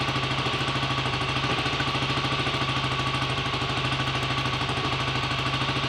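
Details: BSA A65 Lightning twin, first start after a full rebuild with a replacement crank, fixing 1.5 mm crank end float and timing-side bush play; carbs roughly set: steady, even thumping tick-over, no knocks or rattles; normal idle.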